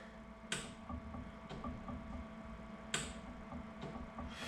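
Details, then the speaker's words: Series 8 printer commissioning, solenoid valve actuated from its red test button: two crisp clicks a couple of seconds apart over a quiet hum; solenoid switching cleanly, normal. "I'm going to go ahead and press each one in turn and what I'm looking for when I press them I'm actually listening for a click of the solenoid clicking so if we do the flush you can hear that nice click"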